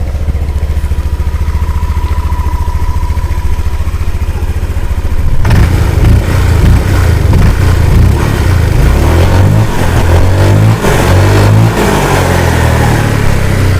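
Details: 2017 Honda PCX scooter with 30,198 km: soft, steady idle, then blips up to a fuller rev and back, no rattle or misses, no white smoke; healthy, quiet engine, normal revving.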